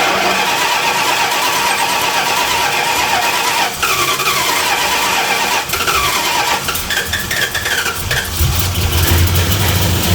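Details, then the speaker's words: 1975 Plymouth Roadrunner that sat 20 years, running on battery only, possibly flooded: catches and runs unevenly, surging and dipping without settling. It sounds lean; the cause is not confirmed. "Runs a little rough. Oh. Yeah, that sounds like it's lean."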